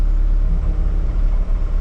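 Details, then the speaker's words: Cat 299D track loader at 2,500 hours, running after hydraulic coupler work, hydraulic oil still below the red mark after adding a gallon: deep steady rumble with a rough growl underneath, hydraulic pump growling from low oil. "Only had a gallon. Yeah, it's low. I can hear it growling."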